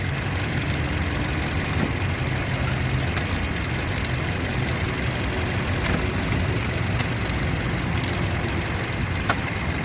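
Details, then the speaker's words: 2007 Toyota Yaris petrol that had jerking, hunting and misfire: after fixing the faulty ignition coil, a smooth, steady idle with no stumbling, normal idle. "मैं अभी कोई problem नहीं है problem निकला था यही कोयल problem था"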